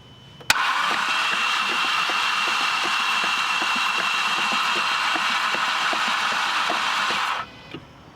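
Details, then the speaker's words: Flood-damaged car cranking with spark plugs out to expel water from cylinders: steady fast whirring crank, no firing, fuel smell, still spraying a little; water clearing. "let's spin a little bit more try to get all the water out and do it again i smell gas it's spraying a little bit still"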